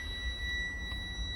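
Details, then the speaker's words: School bus in-cab pre-trip inspection: continuous high buzz droning over the quiet cab, the low air pressure warning buzzer, with warning lights on because the air tanks were drained the night before. "the warning lights that are on is due to low air pressure. We drained the tanks yesterday night when we were finished."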